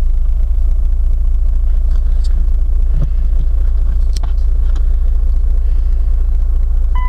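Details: Chrysler Voyager diesel, which stalls, idles low with a heavy rumble and slightly uneven beat; the cause is fuel draining back through a faulty return check valve.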